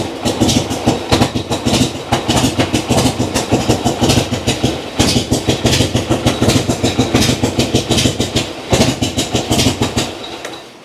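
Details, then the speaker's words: Vintage Harley big twin (Panhead, Ironhead or Evo) kick-started cold with idle knob not turned up, needing several kicks; easy to flood. It catches cleanly and settles into a loping, uneven chuff around three beats a second, holding steady: normal cold start and idle. "Very good. I didn't have my idle up, so I had to kick it several times."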